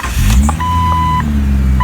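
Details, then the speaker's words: 1999 Jeep Cherokee XJ 4.0 inline-six on 60,000-mile-old plugs and ignition parts, before replacement, near but slightly below operating temperature, idling about 800–825 rpm: steady, even low hum with chime beeping, no misses or knocks; runs great, normal idle. "Idling at about 800, I guess, RPMs. 825, something like that."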